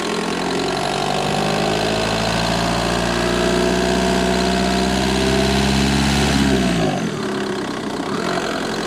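Steady diesel idle with a light, quick tick of about 220 a minute until shutdown; the tick's source is not pinned down.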